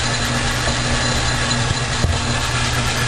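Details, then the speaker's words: Logan lathe after making and fitting new brass gear-change idler bushing: steady low even hum, no knocks, grinding or whine; gearing running quietly, repair somewhat of a success. "somewhat of a success. Running quiet."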